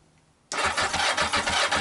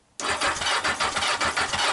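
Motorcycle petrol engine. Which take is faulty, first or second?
first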